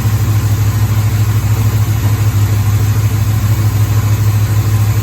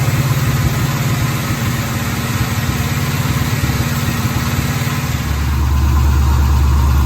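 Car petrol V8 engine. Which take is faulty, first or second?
first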